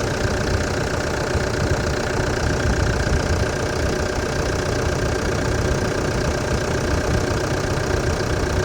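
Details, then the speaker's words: Diesel engine of a demountable truck-camper started after glow-plug heating, following an air filter change. Steady, even idle clatter with no squeak from the belt drive: normal idle. "Go. Sounds good. No tweak."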